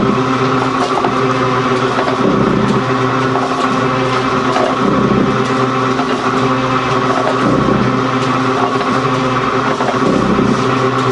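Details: Gould & Eberhardt 24-inch heavy duty shaper (1912 patent date; owner guesses 1912–1930), just shifted into high speed with the larger pinion engaged, first high-speed run. Steady drone with an even, slow ram-stroke cycle, no knocks or grinding: normal running.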